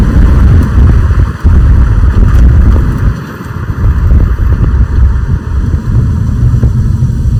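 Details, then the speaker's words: 2005 BMW 545i E60 N62 V8 after oil change, driving at about 3500 rpm, heard from the cabin then windows down: deep, smooth rumble rising and easing evenly with throttle, no knocks or misses; normal engine while driving. "So, 3500 RPM. Thing sounds so good. It's crazy how quiet it is from inside the cabin."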